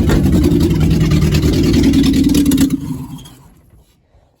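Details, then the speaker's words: Geo Tracker being revived after a restart with borrowed injector parts, run without the exhaust fitted and the timing not yet set: loud, raw open-pipe barking with an uneven beat, then it dies away. "probably should put the exhaust on it but uh but hey it's running so good news"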